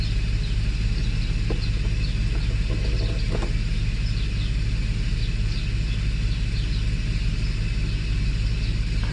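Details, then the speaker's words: Mercedes S600 W140 V12 after Egas throttle module repair, cold start after sitting since the previous day: steady whirring drone over a low, even idle rumble; secondary air pump still running at cold idle, exhaust broken. "Let's just wait for air pump to shut off. Air pump is still making the noise."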